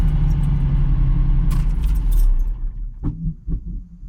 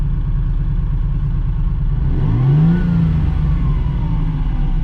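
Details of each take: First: 17,000-mile US-market Dino: engine cuts off and a couple of soft, dull "boof" pops follow within a second, typical of US cars and adjustable out; this one is about as quiet as it gets. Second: 17,000-mile US-market Dino being sorted for a customer, tach into orange at 7,500 rpm: steady low engine note rising cleanly in pitch under throttle, even and free of knocks; a healthy, well-sorted engine.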